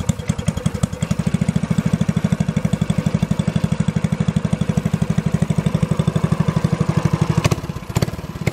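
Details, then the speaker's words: Idle after fitting a new small stainless steel muffler; fast, even exhaust pulses in a deep steady thump, no misses or knocks, sounding healthy. "it sounds so nice"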